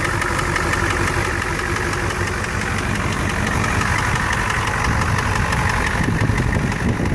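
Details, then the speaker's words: Ford 7.3 IDI diesel at idle, hood open: sharp regular knock about three per second over the idle, also heard inside the cab; owner suspects number 5 cylinder, and disconnecting the number 5 injector quiets it significantly; owner fears something serious. "So here's a video of my 7.3 IDI, hood open, with that knock-in sound. As you could hear, the knocking sound inside the cab. I'm pretty sure it's coming from the number 5 cylinder right here."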